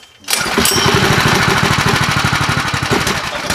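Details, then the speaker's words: Freshly built Predator 212 Hemi engine with an aluminum flywheel and an aftermarket cam, on its first run: small single firing in uneven, lumpy bursts about three a second, sagging near stalling and possibly short of fuel; rough running. "you could definitely tell it's got a cam in it yeah it doesn't ain't got that smooth let's get that so where am i gonna go am i gonna stall am i gonna go"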